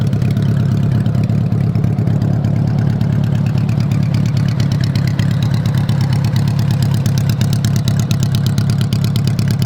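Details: 1985 Honda Goldwing GL1200 flat-four idling with the exhaust off after carb cleaning (3 of 4 jets were clogged); loud, crisp exhaust pulses at steady idle with an even rhythm and no misses. Normal idle.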